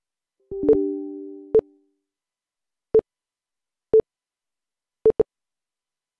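A falling tone, then sharp single-pitch beeps at uneven intervals, some in quick pairs, like Morse code; the source is unclear.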